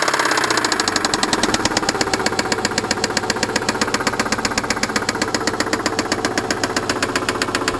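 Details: Subaru engine with a sharp, steady metallic knock at idle, about four per second, worse than normal piston slap; engine knock, cause suspected, not confirmed.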